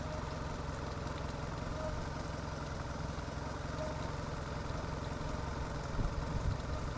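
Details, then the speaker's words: Sea Ray boat engine after a new fuel line and new idle air control valve: a steady, even low rumble with no misses or hunting, idling at the correct rpm. It is fixed. "But regardless of all of that, with the IAC, it is idling better. It is idling at the correct idle RPMs."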